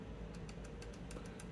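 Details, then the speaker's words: Trombone valve linkage: with the stop arm held and the lever moved, quick bright metal-on-metal clicks come from a loose screw in the linkage, to be tightened. "ah what's that this screw is loose basically you want all the action of this to go directly into the valve and if anything on that path is loose or not lubricated we'll talk about that in a moment it's going to make noise because it's wasting energy"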